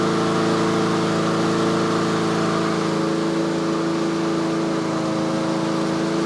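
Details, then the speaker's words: Yard Machines/Yard-Man (MTD) 21-inch self-propelled push mower, late-fall tune-up checkup, just started and warming up after choke off, tach reading about 3300 rpm set speed: steady even single-cylinder drone, no stumbles or knocks; normal running at governed speed. "so that's the inductive attack it's running about 3300 that's where i normally set them so so"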